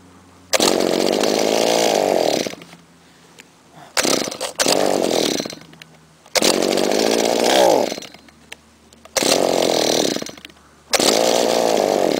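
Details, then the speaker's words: Trimmer unstarted for a month and a half: several long pull-cord cranks, each a whirring rise and fade, no catch; slow to start. "takes a lot of cranking just like the good old days there we go again takes a while to start"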